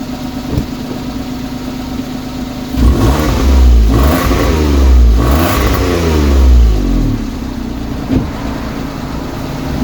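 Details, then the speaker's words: Citroen C1 after fitting a replacement exhaust back box: quiet idle, then a few smooth revs with an even, slightly deeper exhaust note; only a minimal change in tone, healthy engine and exhaust. "got a slightly slightly deeper note not much I mean it's very minimal which is perfect it's exactly what I wanted"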